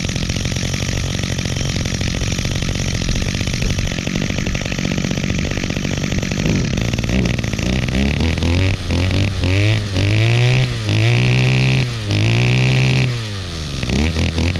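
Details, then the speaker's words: Two-stroke string trimmer repaired last year: buzzy note revs then sags repeatedly, pitch dipping and recovering every second or so as the throttle is blipped; still bogs out under throttle at times, though otherwise runs well. "With the throttle still wants to bog out at times, but you can hear it runs really good."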